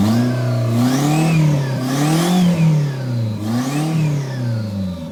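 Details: Toyota MR2 with Gen5 engine swapped in from a Caldina, first start with no exhaust fitted: three clean rev blips rising and falling smoothly, loud open rasp, no knocks or misfires; normal free revving.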